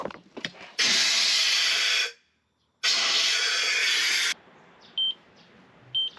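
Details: Leak detection on a factory water pipe, done by tracer gas amid passing-traffic noise: two long hissing bursts, then two short high beeps about a second apart as the detector picks up tracer gas at the leak.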